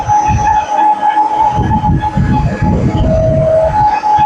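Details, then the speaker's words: Reconditioned CNC machine Z axis jogged, after new support- and motor-side bearings and a new coupling: a steady mid-pitched hum over the motion, dipping lower briefly. Servo motor gain no longer matches the changed load and needs retuning. "तो ध्यान से सुनने के लिए बहुत तेज एक आवाज आती है। ये प्रॉब्लम आ रही थी क्योंकि ये बेसिकली मैकेनिकली रिकंडीशन हुए मशीन। तो जो मोटर और वाशरूम का गेन है वो मैच नहीं हो रहा बेसिकली"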